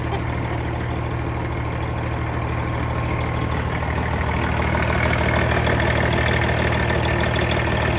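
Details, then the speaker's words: Semi truck diesel with 556,000 miles, after engine repair (driver had reported a vibration; a dead cylinder would cause one): steady, even idle with a smooth low beat of about three pulses per second, no knocks or misses. Smoother than on arrival; good oil pressure. "dang hey that's pretty smooth got a lot better than it came in"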